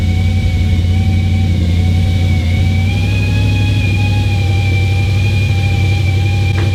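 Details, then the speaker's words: B7 Audi RS4 first start after battery hard reset for traction control light, window down; steady high wavering squeak, "goat" sound from some pump, source unclear. "This time I'm going to turn the car on with the window down so that maybe you can hear that squeaking goat sound from whatever pump or whatever it is a bit better."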